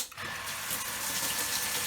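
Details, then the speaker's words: Workshop rainwater recycling system pump after pressure control was stripped, diaphragm cleaned and a possibly stuck valve freed: strong, steady rush of water, no sputter or surging, pumping a full even flow; owner suspects foot valve muck may have been the fault. "it comes like it doesn't as you can probably hear and maybe even see I'm going to the side has come pumping like a goodie you just can't believe it can you"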